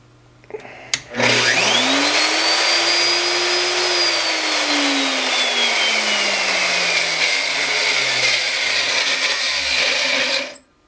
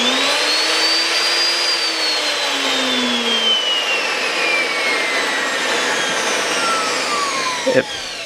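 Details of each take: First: Router, one of two free for-parts tools used on Corian countertops (dust suspected in brushes and armature), run before disassembly: high thin squeal above the motor whine, rising with speed and stopping hard; bearings suspected. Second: Non-variable-speed router rebuilt from two broken tag-sale routers with both good bearings fitted, coasting down after switch-off; high whine easing smoothly down, no rumble or grinding — normal coast-down after repair.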